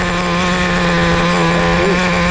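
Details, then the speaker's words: Traxxas Nitro Slash 3.3 nitro RC car after break-in, idle too high corrected by richening the low-speed needle: steady even buzzing idle, no hunting or surging; good idle. "that is a much better decent Idol awesome response to a basic riching of the low speed needle very very important"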